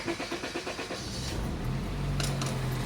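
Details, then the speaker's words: Automatic Honda Accord after repairing a no-crank no-start fault (fuses, relays, starter checked), started with foot on brake: about a second of quick even cranking, then catches and settles into steady low idle; normal start. "Okay. So ayan, mandar na. Ang problema nito mga sir, no crank, no start. So ngayon, okay na."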